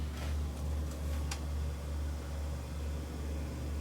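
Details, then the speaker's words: 1980s Marantz SD9000 cassette deck in fast forward: steady low motor hum with faint ticking as reels spin; auto-stop sensor shuts it off properly, transport healthy. "It's measuring this sensor on this side. It's not doing anything for this one, but if I stop it, then it shuts off, which it does. Um, so that part works."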